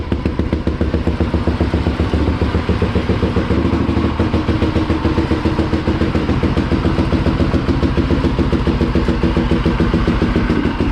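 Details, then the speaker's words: Polaris Predator 500 ATV with DG aftermarket exhaust: steady, even single-cylinder idle, three to four beats a second, loud but smooth and healthy. "we'll get it fired up so you guys can hear what it sounds like with the dg exhaust"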